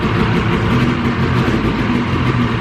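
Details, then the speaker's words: 2000 Ski-Doo Grand Touring 600 two-stroke snowmobile, sat outside about 3 years, first start on full choke: putters unevenly at a low, lazy idle with a dull burble, sounding tired; rough low idle needing adjustment. "A little tired, but she's running. I think we're gonna have to adjust the idle a little bit too. A little low."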